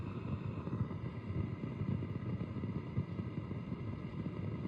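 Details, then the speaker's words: Marshall DSL5CR 5 W valve amp with volumes at zero and nothing plugged in: low, uneven rumbling flutter with faint hiss persists after installing all new JJ valves, so the valves were not the cause. "lovely new valves which are glowing orange and it's something else"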